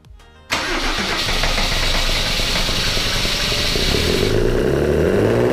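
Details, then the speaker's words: W124 with OM606 turbo diesel on first start after a new battery: it catches after cranking and races to a loud, high, steady clatter because the throttle was held partly open. "but if it was running away i couldn't no wait what was that wow that was that was bad for the engine that was like max rpm stayed off the bat"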